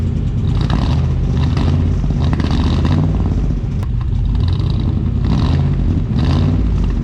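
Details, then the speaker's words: 1990 Chevrolet Suburban with 6.0 LS swap, new true dual exhaust with glasspack mufflers: deep lumpy V8 idle with a tinny clatter on top, probably from missing manifold-to-pipe gaskets. "yeah we don't have the gaskets in from you know the headers well i mean manifolds to the pipe that's probably where the rattle's coming"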